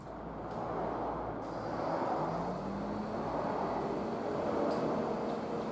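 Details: Nissan RD28 diesel in a GQ Patrol after injection pump swap and 11mm upgrade, timing advanced slightly for hard starting; steady even idle with light clatter, no stumble or odd knock; owner first thought it too knocky but it sounds fine.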